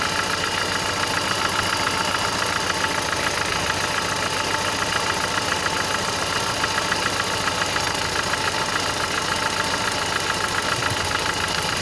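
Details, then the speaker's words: Car engine with dull knock at idle, about three or four a second, recorded near the cylinder; owner suspects camshaft jumping in its bearings, cause unclear; also misfires, exhaust leak and slightly noisy alternator bearings noted. "звук действительно напоминает именно глухой то есть как бы я бы сказал что это какой-то большой предмет бьется от большой предмет вот как то так"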